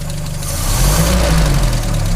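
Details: 1939 Citroën 7C engine idling: light, regular tapping over the low drone; faulty valve lifter (tappet).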